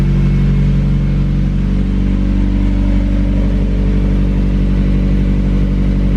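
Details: Mazda Miata (manual transmission, aftermarket radiator, coilovers) with fresh oil, new exhaust and intake, at cold start idle: a deep, even exhaust burble at a raised cold idle with steady pulses and no knocks or misses. Healthy.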